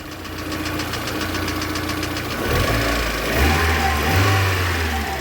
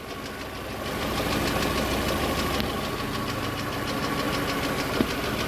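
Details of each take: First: VAZ 2112 petrol engine fully warmed up. It had been misfiring on one cylinder when hot; pressing on a connector steadies it, giving an even idle and clean pickup on two throttle blips. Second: VAZ 2112 petrol engine, warmed up, idling rough with an uneven chuffing beat from a dead cylinder; ignition module resistance measured below normal, and pressing its connector briefly restores smooth running.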